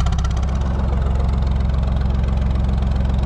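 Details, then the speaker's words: Lister HW3 three-cylinder diesel narrowboat engine under way on the canal, running like a dream; deep, steady, even thump with no stray knocks. Normal running. "there she is running like an absolute dream this morning"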